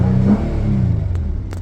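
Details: 2013 Nissan Maxima after fixing a no-crank, no-start fault caused by cut wiring to an aftermarket tracking device: engine catches and rumbles smoothly, settles from a brief rev without stumbling; starts and runs normally.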